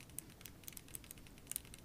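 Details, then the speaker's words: Cheap GWS hobby servo on a smoothing slow-down device at its slowest setting, creeping slowly; faint irregular ticks as the gears mesh, arm movement still smooth and consistent side to side; normal gear clicking. "you may be able to hear it clicking as the gears mesh inside of it but the movement of the arm is still very smooth and very very consistent from one side to the other"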